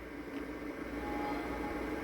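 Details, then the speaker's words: Xbox 360 disc drive from a rusty, corroded console tested in a test console after cleaning; soft steady whir with even tones over a low hum as the disc spins up. Normal disc spin-up. "Come on. There we go. There's a disc in it. I can hear the disc spinning."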